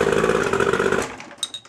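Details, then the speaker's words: Boat motor after plug check and terminal cleaning: motor fires right up, runs with an even, steady roar about a second then cuts off; clean healthy start, ruling out terminal problems. "not your terminal right there it is at your silver as you can see my boat fired right up therefore it ain't my terminals down there because I took care of my terminals"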